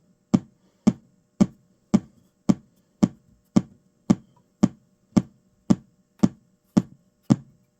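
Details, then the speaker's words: GT Fore board on the bench, missing U61 with damaged traces: steady speaker pops about two a second as the board constantly resets with a fast-blinking light; shorted capacitor on the audio codec's 3.6 V supply. "Oh, it's blinking. Oh, it's got a fast blink, but it's constantly resetting."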